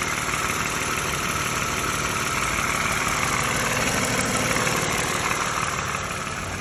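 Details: Used US-spec 2013 Lexus RX350 base model idling with an even hum and a light, fairly regular rattle about three times a second, also heard in the cabin; source unknown despite recent front right engine mount replacement.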